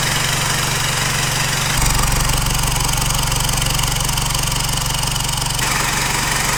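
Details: 4JJ1 diesel swapped into a Nissan Patrol, first start after an aluminium intercooler pipe extension with the sensor fitted at its end, settles into a firm, regular idle with a slight step in speed partway and no knock or miss; it sounds healthy.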